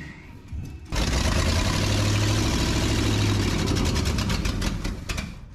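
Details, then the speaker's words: 1968 Ford F-250 with 390 V8, barn find sat nearly 10 years, first run: loud, uneven idle with lumpy unsteady beat and loose chatter; rough running, vacuum leak suspected, not confirmed. "One idle. That sounds pretty loud to me."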